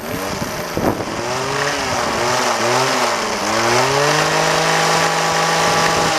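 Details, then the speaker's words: Two-stroke trimmer, test run: settles into a steady, even buzzing idle with only slight speed wander, no misses or stalling; running healthy. "This thing just idles. Listen to how good that idles."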